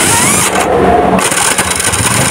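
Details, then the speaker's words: Suzuki Smash after earlier starter motor repair, starting: harsh rough grinding and screeching as the starter engages, sometimes catching and sometimes not, rather than a clean spin. Starter gear grinding from a crushed starter connecting gear. "nah seperti itu ya teman-teman bunyinya jerit dan kadang nyangkut kadang enggak"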